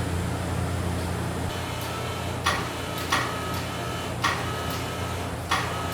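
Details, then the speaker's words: Freshly built cammed LS V8 on its first startup after install, with new insulated stainless exhaust: deep, steady, even idle with no misses or knocks; smooth, has oil; normal idle. "Sounds like it's smooth. It's got oil. It's running good."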